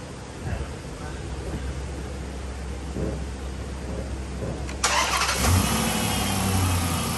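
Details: 2007 Chrysler 300C Hemi V8 that was overheating, fired up after coolant refill at the water pump: cranks and fires quickly, then settles into a steady, even idle, no knocks or misses; normal idle.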